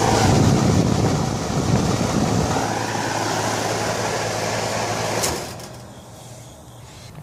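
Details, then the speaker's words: AC condenser unit with 24 V coil contactor: condenser fan drones evenly and then winds down, but no compressor hum; the compressor is not running. "so fan is running but there's no I don't hear the compressor running too"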